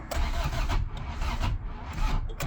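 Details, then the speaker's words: Honda Civic EF sedan after timing belt, new distributor and spark plugs: starter drags over in slow, uneven low thumps about three a second and the engine never catches; slow cranking from weak battery. "she doesn't have enough battery we'll give it a little more time on the old juicer yeah she needs battery"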